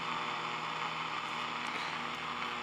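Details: Zenith Trans-Oceanic radio tuned to the top of the AM broadcast band on the original 1L6 vacuum tube, before switching to a solid-state replacement: quiet even hiss with faint steady hum, no crackle; clean normal noise floor.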